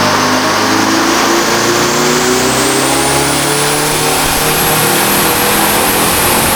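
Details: Detroit Diesel 453 two-stroke diesel on dyno making 600+ ft-lb for the first time, full-load pull; hard loud roar, pitch creeping up, no knocks, bypass just starting to crack open; healthy strong pull.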